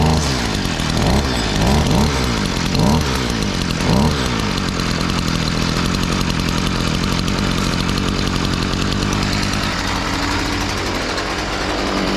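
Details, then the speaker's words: STIHL FS38 two-stroke line trimmer, first start after about two years with fresh fuel: revs briefly then settles to a steady, even buzzing idle; normal idle. "it's going to bring the idle screw down until we get to a low enough idle that the tri ahead doesn't spin on idle"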